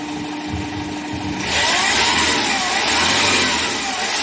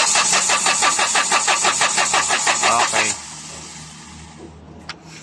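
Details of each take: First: Hyundai H100 CRDI diesel with hard starting and low power; after fixing busted number one injector, engine starts promptly without starting aid and revs cleanly and evenly with no stumble or popping; normal start and revving. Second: Hyundai H100 CRDi diesel with low power, now not starting, fuel return removed for injector check: even cranking pulses about three a second for three seconds, dies without catching; busted injector causing hard starting.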